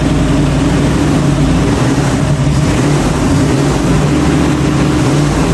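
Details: 1966 Ford Bronco after full restoration, first start with the engine behind a transmission (previously only run on a stand): deep, loud V8 rumble holding a fairly steady idle without dying or hunting; normal idle.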